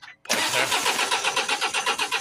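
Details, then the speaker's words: Mercedes Sprinter 2.1 diesel with fault P0087 (fuel pressure too low): even starter cranking that never catches. Rail pressure reads zero with no fuel in the low-pressure lines, and the fuel pump fuse under the glove box was found blown. "so I'm looking in the fuse panel here under the glove box I found a fuse that is blown just here for the fuel pump"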